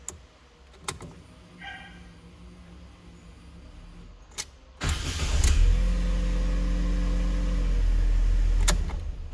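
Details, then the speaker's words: Fiat (Fire engine) that previously turned the key without cranking, now repaired with the battery having been disconnected for the job. It gives a quick clean starter whir and catches at once into a steady idle; normal engine start. "agora tá tudo certo agora tá funcionando legal tá dando partida normal tá dando solo normal né"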